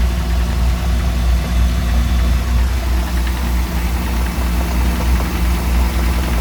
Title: Mercruiser 4.3 v6 knocking noise